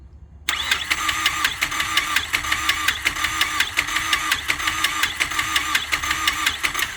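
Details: Mazdaspeed 3 first start attempt with a newer engine: the starter churns steadily at about one and a half beats a second but it never catches, no ignition, because the ignition ground was not connected.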